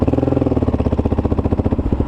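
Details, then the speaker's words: Kawasaki KLR650 after full carburettor mods and chain-related change, warmed up and idling: single thumps evenly at about ten beats a second, clean and crisp with no lean bog or stumble, running normally and quieter than before. "hey guys we're back out sitting here idling perfect i see red dot we're good to go temperatures come up no lean bog sounds sounds good"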